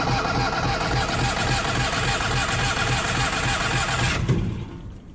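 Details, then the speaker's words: Onan 5500 RV generator cranks with a steady rhythmic churn for about four seconds after a roughly 30-second prime, never catches, then falls silent. It had been running intermittently and then dying, and no fuel pump sound is heard when priming; owner suspects the electric fuel pump, unconfirmed. "when I hit start here it may start but it probably won't run more than about a minute or two if it starts at all"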